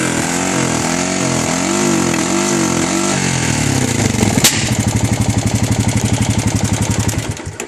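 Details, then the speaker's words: 2013 Honda Rancher ATV that starts and runs fine: when revved it climbs to one ceiling as if hitting the rev limiter, then dies back into choppy popping backfires and won't rev freely; cause unknown. "you hear it backfiring it only revs to a certain rpm"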